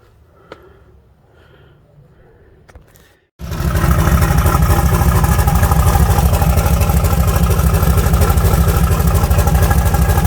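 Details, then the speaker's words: 1974 Nova V8 just fitted with an S480 turbo and homemade exhaust, cold start at about 27 degrees: quiet, then it catches abruptly and settles into a firm, regular lope; normal idle. "She is. She's fired up and sounds good."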